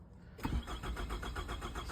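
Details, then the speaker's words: 2006 Nissan Altima, cylinder 4 misfire code, good battery voltage: quick even cranking about eight pulses a second, nearly catches but never fires. Crank-no-start. "So yeah, as the customer stated, it won't start."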